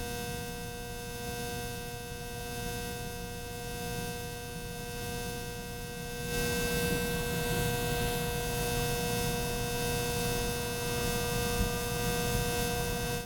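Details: Ceiling fan giving a steady low drone with a constant whining hum that never varies; loud humming, cause unclear.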